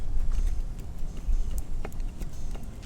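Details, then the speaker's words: GMC Sierra front end, engine off, old lower ball joint rocked by hand: irregular dull knocks and clicks from the loose joint. This caused the clunking heard when driving and is fixed by replacing the control arm/ball joint assembly and strut. "it's loose in there so that's what that was what was making the clunking sound when we're driving"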